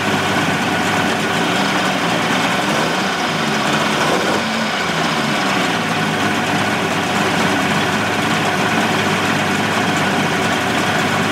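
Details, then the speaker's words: 1988 Mercury 70 hp inline three-cylinder two-stroke outboard in a test tank after carburetor work, air silencer cover off. Steady, even idle with a smooth buzzing exhaust beat and no stumbles; firing on all three. Normal idle. "now i'd say we are firing on all three she idles nice it'll sound a little better when i put the uh cover to the air silencer on there hence silencer"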